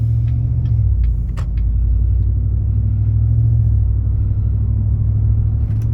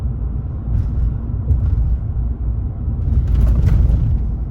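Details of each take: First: 2019 Chevrolet Silverado V8 with a Range Technology AFM disabler plugged in and bullet exhausts, under light throttle climbing a hill. A deep, heavy droning boom: the engine is still dropping to four cylinders despite the disabler, causing exhaust drone. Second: 2019 Chevrolet Silverado 5.3 L V8 with Active Fuel Management disabled by a Range Technology AFM disabler (advertised only up to 2018), running on all eight cylinders through aftermarket bullet exhaust: deep, even loping burble with no drone or misses; normal.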